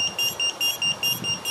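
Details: Geelang X-UFO 85X 4K cinewhoop FPV drone: sharp high-pitched beeps in short bursts about every 0.4 seconds from the onboard buzzer; cause suspected, not confirmed.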